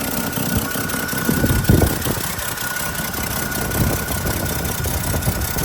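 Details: 1959 Chevrolet Suburban Carryall 3106 with 235 Thrift Master inline-six and 4-speed: idles low and steady in a shop, running evenly with no knocks or misses; normal idle.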